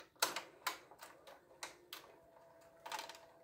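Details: Panasonic cassette deck loading mechanism: crisp plastic clicks and clunks with a faint motor whir and no squeal. Normal loading; the squeak occurs when a felt-tipped part gets worn and glossy, and is fixed by cleaning.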